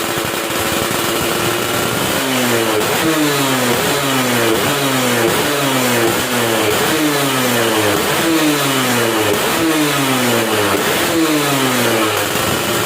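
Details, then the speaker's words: Yamaha F1ZR two-stroke after porting: quick repeated blips climbing cleanly and dropping back about once a second, crisp and responsive with full top end and no bogging; normal free revving. "seperti itu suaranya ya udah biasanya responsif padat atasnya juga ngisi"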